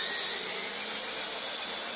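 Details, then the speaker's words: Drilling a pulled headbolt hole in an aluminum LS6 block (C5 Corvette rebuild) for a Time-Sert style insert, air compressor in the background: steady high hissing whine, no load change or chatter; bit at the hole bottom lost resistance, flattened tip no longer cutting. "here how it lost all his resistance that's at the bottom of the hole and since he flattened out the tip it won't keep Drilling"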